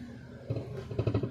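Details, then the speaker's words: Car shifted into reverse with braking: quiet, then a short burst of three or four dull knocks as reverse engages, something loose hitting underneath; clunk when engaging reverse, silencer (exhaust) problem suspected. "सुन सकते हैं कड़-कड़ करके आवाज आ रही है।"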